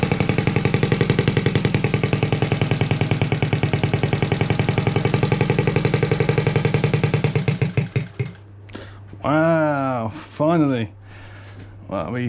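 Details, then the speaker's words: Honda Z50A monkey bike running on a borrowed carburettor after fixing low float level and leaking drain screw, exhaust manifold disconnected from silencer; rapid, even, sharp popping from open exhaust for about eight seconds then dies away; normal running, open exhaust. "managed to get it to work and it sounds pretty cool as well in the uh as you can tell the uh manifold isn't connected to the silencer i just wanted to see what it sounds like without it"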